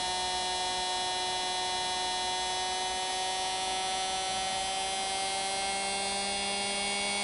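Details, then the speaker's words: Singer Model 221 Featherweight sewing machine motor after rebuild with new brushes and greased wick tubes, bench-tested on pedal with power increased: smooth, steady high-pitched hum, snappy, no rattles or scraping. Normal running. "oh snappy huh i know you can't see it spinning you'll have to just strictly go by the sound let's add a little more power"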